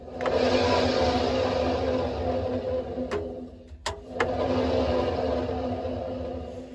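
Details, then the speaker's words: Hotpoint Aquarius WMA32 washing machine, rusty and in poor condition, drum spun by hand: rough, gravelly rumble with faint drone from worn drum bearings; drum possibly replaced before. "you can hear the M bearing aren't the healthiest on this um I have given this a bit of a spin already and the bearings do sound a bit naff on it as well"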